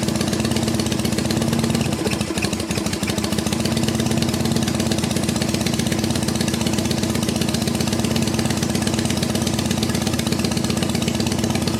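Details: 1974 Harley XLH Ironhead Sportster, cold first start after sitting for years, ether used, about 90% choke, high idle: uneven, lumpy beat that stays running but misfires and stumbles; rough running, owner suspects the Keihin butterfly carb needs a rebuild.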